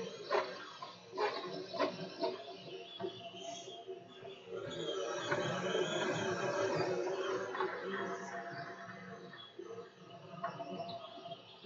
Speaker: I said that that's actually move around pretty quick for a little machine like this there's very little vibration you definitely can hear the motors that's the squeaking from the motors spinning and going along